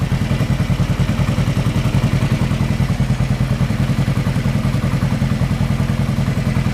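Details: 1975 Yamaha XS500 twin after carb sync, rejet (50 slow, 120 main, pods, 2-1 exhaust) and idle adjustment, warm: even low thumping idle about three and a half beats a second, steady at just above 1500 rpm.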